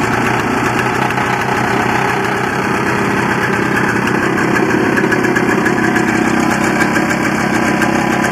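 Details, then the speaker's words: Barn-find 1984 Honda Odyssey two-stroke, cold start after carburetor rebuild and choke fix, fed gas mix directly into carb; owner wonders if it runs lean: steady even buzzy idle, no misfires or surging; normal idle. "to me it sounds like it's running pretty good especially when you get a little bit of fuel it seems to wind right up and want to take right off"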